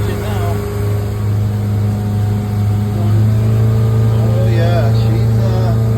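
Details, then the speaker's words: Boat with Mercury MerCruiser 5.7 V8 after tune-up (new plugs, wires, rotor, cap, coil) and outdrive rebuild, at full throttle planing: deep, steady, even drone, no misses or knocks. Normal full-throttle running. "so I'm going to try to floor it and see what's going on sure sounds like a good engine"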